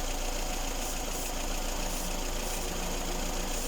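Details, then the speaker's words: Lada Kalina, hot (about 90–100°C), after a whistle that appeared about 300 km after a timing belt and roller change and was treated with silicone lubricant: steady, even idle with a low hum and no whistle or squeal. Belt area now quiet, normal idle. "точно ничего не шумит все"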